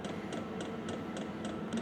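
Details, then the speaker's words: VEVOR Chinese diesel air heater newly installed in a garage: quiet regular light ticks about three and a half a second over a soft hum, the dosing fuel pump clicking normally. "Oh, I can hear that infamous clicking noise. No heat yet."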